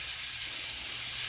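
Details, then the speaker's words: 1/2-inch copper 90-degree elbow spraying water at 110 PSI because the pressure reducing valve had failed: loud, constant high hiss like a river with almost no low end, ground soaked. "That is super loud, dude. That sounds like a river. I don't see it yet. I can see the ground is wet. Holy mackerel. Coming out of that 90."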